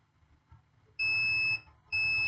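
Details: Acer Aspire 3 A315-32-C410 laptop motherboard, no power; 19 V charger plugged in and power supply clicking; two steady high-pitched multimeter continuity beeps as probes touch a capacitor, reading 0 ohms: short to ground.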